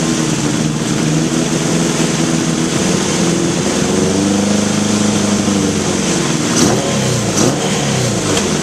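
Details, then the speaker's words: 1981 Honda CB750 K1 at idle, carbs said to have been recently overhauled: idle climbs for a few seconds then settles as spray hits the carbs, revealing vacuum leaks at the carb boots and throttle shafts; bike bogged and stuttered on test ride. "all right throttle shafts and boots and not to mention that accelerator leak"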